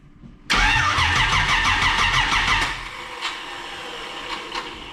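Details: Camaro with distributor cap, new battery and old plug wires, distributor being rotated to set timing and extra fuel given: bursts into life for about two seconds, then sags into weak pops and stalls; ignition timing still incorrect.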